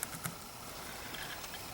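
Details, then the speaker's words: Dell Inspiron 4000/4100-era laptop, Pentium III 1 GHz, fan a little unhappy, at power-on: quiet room then one short high-pitched POST beep as the BIOS reports invalid configuration information. "invalid configuration information of course"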